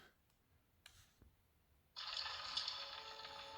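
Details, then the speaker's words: Xbox One X, newly bought, at power on: after two quiet seconds with faint clicks, a bright high ringing tone starts abruptly and holds steady; owner says it also happens at shutdown and suspects it is broken. "the hell's that noise I don't understand I think it's broke every time I shut it off it makes a weird noise like that"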